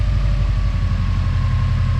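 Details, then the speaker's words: Subaru 2.5 with 450,000 km, after replacing failed timing-cover-area tensioner (NTN) previously causing loud knock at timing cover, block silent: steady low even idle, no knock. Normal idle after fix. "throw another tensioner in sender whoa no more knock wow"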